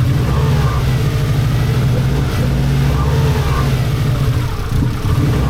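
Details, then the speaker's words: 1990s Japanese turbo AWD rally car, barn find woken after over a decade stored; runs unevenly, loping and surging, held on throttle because it won't idle; cause not confirmed. "yeah so it won't idle it won't idle I'm having to feather it just to just to keep it running"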